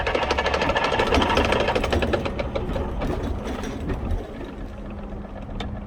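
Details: Vespa P125X with VMC Stelvio 177 kit: rhythmic clicking two to three times a second over the two-stroke engine from a primary/cush drive gear damaged by a backwards wide-open-throttle shift during an uphill plug chop.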